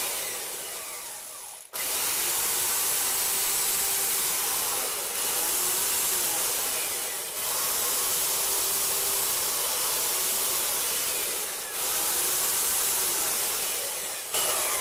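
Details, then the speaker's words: 30-year-old Craftsman belt sander after its dry bearings were oiled: a steady airy hiss that dips a little under load, and the squealing it made at times before is gone; normal running. "there's no squealing it was making a terrible squealing noise at times not all the time but that's probably what it was those bearings all right"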